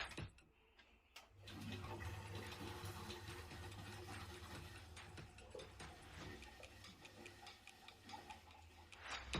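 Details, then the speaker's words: Boiler of unknown make, not working at all, goes straight to the red overheat light on switch-on: low steady hum with irregular ticking and watery gurgles, another clue to the fault; cause not yet confirmed. "you hear the gurgling? That's another clue on what's the matter with this boiler."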